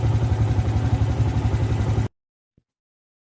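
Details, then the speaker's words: Yamaha Vixion after replacing starter motor carbon brushes, running after a successful electric start: even, steady idle with regular firing pulses and no misses, then a clean shutdown; engine normal. "Oke berhasil Alhamdulillah sudah nyala ya alhamdulillah bisa starternya sudah tidak ada masalah"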